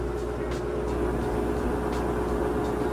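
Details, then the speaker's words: Kenmore Super Capacity Plus top-load washer, medium towel load, high-speed final spin with the lid lock bypassed and the drain running. Steady whirring rush with an even drain pump hum, no knocks or scraping: a healthy spin. "as you can see it's spinning super fast drains running"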